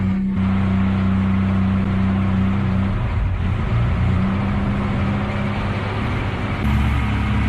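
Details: Classic SEAT 132 with contact-point ignition, revived after 14 years stored, just after cleaning badly worn points that had caused start-then-stall: steady low engine drone at constant speed, brief rev lift near end; runs evenly, normal running.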